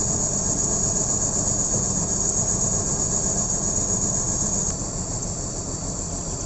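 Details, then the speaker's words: BMW M54B30 straight-six idling with left side cover removed, coils exposed: uneven lumpy beat under a steady high hiss; misfire and bad idle, owner suspects an ignition coil. "my M54B30 has a misfire, and I want to find out why I have such a bad idling, and I'm suspecting one of the coils."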